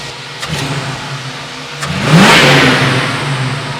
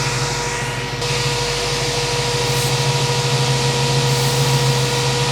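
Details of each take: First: 1967 Ford Mustang 302 V8, about 20,000 miles since rebuild, hot, after timing set to 10° and idle speed adjusted, vacuum 19 solid: smooth idle, clean quick rev rise settling back evenly, no misses; small vacuum leak and overexposed transfer slots corrected. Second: 1967 Ford Mustang 302 carbureted V8, about 20,000 miles since rebuild, never tuned, idles with a steady hiss and uneven slight lope. It does not die with both mixture screws all the way in, indicating a vacuum leak.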